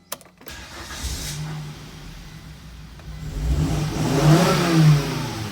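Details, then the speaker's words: 2000 Volvo S70 five-cylinder with aftermarket exhaust, fuel relay trouble: rough cranking, then the engine stumbles alive and revs unevenly; a reluctant, misfiring hard start, with care taken not to flood it. "So I gotta still no. And I gotta be careful not to flood the engine. It'll happen eventually."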